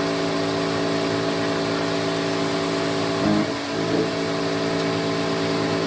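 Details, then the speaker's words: 1986 Electrolux Twin Turbo Super Z551 vacuum cleaner: harsh droning hum with fixed tones and a rough edge; brush roll and bearings greased, but a melted thread in the head lets the bearing sit off-centre, causing the noise. "believe it or not the um the bearings and the brush roll itself have been greased and everything all the cleanup as usual has been done it's just the fact that it's not sitting correctly which is why it's um making that horrible noise"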